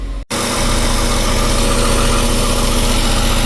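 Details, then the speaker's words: Westerbeke marine diesel generator, slowly overheating after 45+ minutes, just flushed, correct voltage after capacitor failure, loaded with AC and battery chargers: steady, even thrum at about four beats a second, smooth under load, running normally. "Alright, AC's on. We got our battery chargers on too. Still keep an eye on her."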